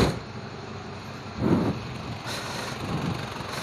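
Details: 1997 Isuzu Panther HS 2.5 diesel, just started after setting the Bosch distributor pump regulating valve (inserted 1 mm): dry steady idle clatter with a couple of surges, no rough misses; running normally.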